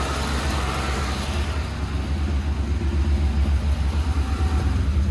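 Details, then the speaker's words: 1984 Volvo 240 with LH 2.0 ignition module, freshly resealed with new head gasket and run briefly without coolant: steady, fast, even idle with a deep rumble and no misses, running high because the idle air control hose wasn't plugged into the manifold. "I realized it was high idling because the idle air control hose wasn't plugged into the manifold."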